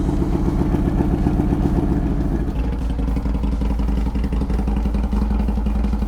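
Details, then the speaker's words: Harley Sportster after timing adjustment and front motor mount replacement, following a rough ride and oil leak: fires up and holds an even loping V-twin beat with no misses or knocks; runs fine. "cool looks like it runs all right let's get on the road"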